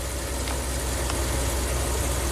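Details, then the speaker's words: Ram camper van with a hot-soak stalling problem, engine almost fully warmed up, IAC at 20 counts: steady, even idle with a smooth low hum and no dips; fixed. "this one's a lot worse in terms of drivability you get up to it'll takes five minutes to relearn but um yeah I mean I know this truck is fixed because look"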